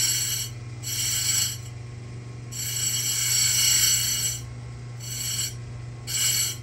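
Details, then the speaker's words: Simington 451c chainsaw chain grinder dressing the stone: a steady motor hum with repeated bursts of high, raspy scraping as the stone just touches the dresser; a normal dressing pass. "okay that is Dressing Your Stone"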